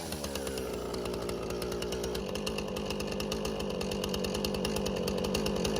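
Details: Husqvarna 455 Rancher chainsaw, unused about 3 years, after carburetor removal, cleaning and reinstall; high, even two-stroke buzz holding steady revs while cutting limbs, no bogging or surging; running healthy.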